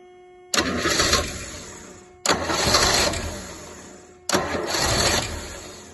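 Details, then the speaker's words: Rolls Royce Silver Shadow, rebuilt fuel pump, new plugs, carb pistons freed: three short bursts, each catching under two seconds then fading; fires but won't rev or keep running. Owner suspects blocked bowl-to-jet tubes, though that fuel path proved clear. "[Music] doesn't want to do any more than that I'm afraid okay so I think maybe the tubes underneath here are blocked up that go from the bowl to the jet"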